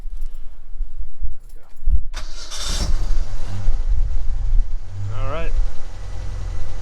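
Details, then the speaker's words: 1982–1992 Ford Ranger after installing a new alternator to replace a dead, roaring one: short crank, catches cleanly, settles to even low idle, no squeal or knock; whole engine bay much quieter, lifters and valves audible, ammeter shows charge. "my goodness it's amazing how much quieter it is just the whole engine under the hood is much quieter I didn't realize that the other alternator was roaring so loudly"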